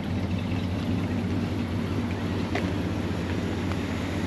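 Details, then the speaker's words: 1966 Ford F-250 Custom Cab, warmed up, no choke, dual exhaust: low, steady idle with even beat, no ticking, knocking, vibration or exhaust manifold leak puff; smooth, quiet normal idle. "et le moteur voilà que qu'il vibre pas qu'on l'entend à peine magnifique"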